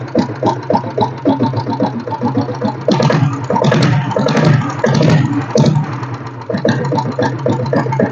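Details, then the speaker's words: Restored blue Royal Enfield Bullet (diesel Bullet conversion), idling after self start: slow, distinct single-cylinder thump, each beat clear and evenly spaced, no rattle; healthy. "So வண்டியோட beat sound ரொம்ப தெளிவாக இருக்குங்க. ஃபுல்லாக கம்ப்ளீட்டாக எல்லாமே வேலை செஞ்சுருக்கிறோம்."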